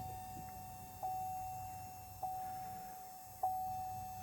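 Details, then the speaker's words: 2.8 Duramax Canyon/Colorado after fuel filter change, key on before start, heard in cab: thin steady whine with faint ticks about once a second, growing louder as lift pump fills filter housing and builds pressure; normal priming. "so we have a pretty consistent wine and now it's getting [Music] louder it's continuing to make this noise where it's it's filling that housing and now you can hear it's starting to build pressure"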